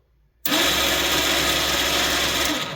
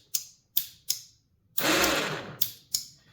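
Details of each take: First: Badland ATV winch, previously jammed and only spooling out (owner suspects rainwater in upward-facing handlebar switch), starts abruptly and runs with steady high buzzing whir spooling cable in normally. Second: Badland ATV winch that only spools out, solenoid removed and bench-tested: sharp dry solenoid and switch clicks with no motor hum; motor works, so solenoid judged defective, suspected broken internal contact; switch may have taken in rainwater.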